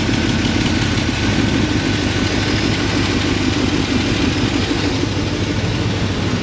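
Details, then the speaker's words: Lincoln MKZ idling with misfire: uneven stumbling beat with skips; a chunk of the injector is missing and the connector is suspect, and the owner suspects a fault between injector, connector, driver and PCM. "it jumped up to zero no misfires something's going on between the relationship between the injector the injector connector and the driver and the PCM"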